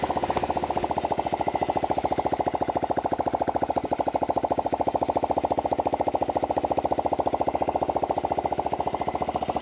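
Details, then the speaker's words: Honda Vario 125 fuel-injected scooter, after refitting the suspected loose or corroded spark plug cap: even, rapid putter with a regular firing beat and no misses. Normal idle after the fix. "Oke, sekarang sudah bisa hidup."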